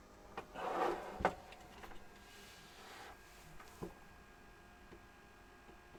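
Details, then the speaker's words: DEC Multia UDB VX40 computer at power-on after reseating a power supply connector that had popped out: faint irregular clicks every half second to second from the PC speaker in a quiet room, cause not evident. "Turn it on and let's see if anything happens. That's new. The speaker's ticking."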